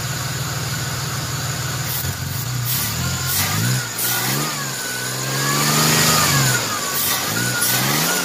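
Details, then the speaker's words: 1994 Chevrolet S10 Blazer 4x4, 4.3 CPI V6, 190,000 miles, sat three years, just after the spider injector replacement, revved from inside with the intake off: uneven choppy revs that stumble under throttle; owner suspects a part not hooked up. "Kind of cutting up when you give it gas, but it could be this little guy right here not being hooked up."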